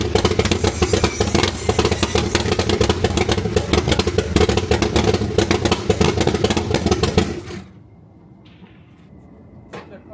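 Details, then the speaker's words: C3 Corvette after timing chain replacement, water in oil, others suspect electrical: ragged uneven running about seven seconds then dies, white smoke from carb: runs briefly then stalls. "you see how she installs like how she spoofs white smoke out the carb and immediately stars like what is"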